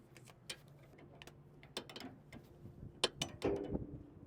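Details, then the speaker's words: S700 combine during concave leveling: sharp, irregular metallic ticks as the rotor turns, with the rear bolt tightened until the concave touches the rotor; backing it off stops the ticking. "so we hear that tick kind of too heavy of once so we're going to back it up a little bit so now we're not ticking no more"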